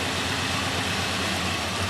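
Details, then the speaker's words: 2003 Mazda B2300 misfiring, cylinder balance test: uneven lumpy stumbling idle with number-two spark plug wire unplugged, running very badly and nearly stalling, worse than with number one unplugged. "And if you unplug cylinder number two, it actually runs really, really bad. It It just about killed the motor."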